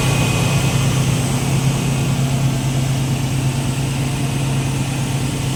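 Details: Car that previously would not start, now started after ignition coil and spark checks and a rewired connection. Smooth, even low idle with a steady deep drone and no misses, knocks or stumbling. Normal idle.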